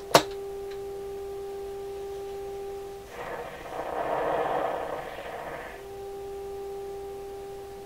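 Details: Deforest Crosley shortwave radio, final check after minor repairs including changing the bias batteries to 1.5V. A 30% modulated 400 Hz test signal plays as a steady clean tone with no rasp or buzz, broken briefly by tuning hiss, so the audio sounds undistorted.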